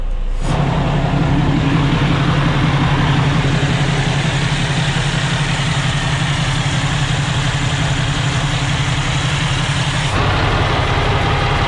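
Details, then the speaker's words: 2018 Freightliner Cascadia DD15 daycab with a rebuilt title, started in neutral with the clutch down: a deep, steady diesel idle rumble with no knocks or misses. Normal idle; the check-engine light comes on periodically, and the owner suspects a fuel problem. "Oh yeah, she runs great. We just gotta idle it up a little bit."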